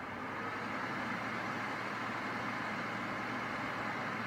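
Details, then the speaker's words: Brand-new Dyson Pure Cool Link Tower air purifier fan at speed level four, recorded about one foot away; steady even rush of air like a low air conditioner, no rattle, tick or pulsing; normal fan noise. "and at level four it's the first time you can actually hear it it sounds a little bit like well you can hear it it sounds a little bit like an air conditioning unit on low"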